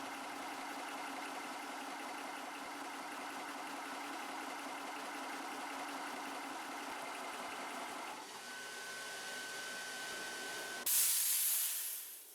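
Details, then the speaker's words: Air Venturi Nomad 2 portable PCP compressor after filling to about 250 bar: steady hum, then a sharp hiss tailing off as the bleed screw releases the remaining pressure; normal. "you're going to want to do that bleed screw and that lets all the pressure out of your compressor and then you're free to pull your hose out of the gun"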